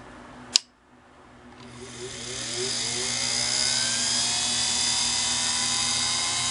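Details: Singer PA style sewing machine motor from a model 600: click at switch-on, then smooth high whine rising to full speed and holding steady; running clean.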